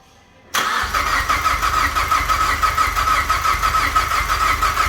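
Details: Mazdaspeed 3 first fire-up after head gasket replacement with head studs and Cometic gasket: short crank, catches cleanly, steady even idle with light whirring note; a weird pump-like noise was heard during priming.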